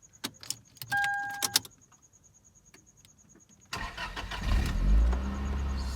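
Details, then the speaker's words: Toyota Altezza after fuel pump replacement: a few clicks, short crank, catches at once and settles into steady, even idle; new fuel pump working perfectly. "oh yeah it's working perfectly"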